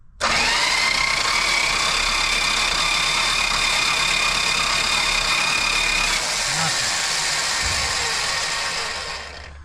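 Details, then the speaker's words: 1970 Dodge Challenger slant six ("Leaning Tower of Power"), rat-infested: loud screaming starter whine with fast uneven churn while cranking, no start; distributor points to be filed next. "Boy howdy, that starter sounds like a drowned walrus. Screaming in my ear, man."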